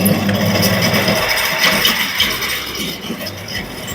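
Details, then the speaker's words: Carrier 1.5-ton (18,000 BTU) window AC running on high and medium fan speed with a loud harsh rattling whir from defective fan motor bearings; cooling fine, bearings later replaced. "You can hear the noise. Is making abnormal noise from the motor."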